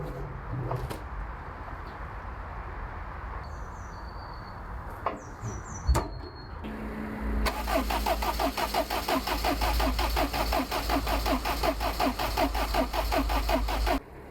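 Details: Abandoned Land Rover Freelander cranks at a steady, even rhythm for about seven seconds without catching. There is no fuel, and the fuel pump is not heard priming; the cause is a blown fuel pump fuse.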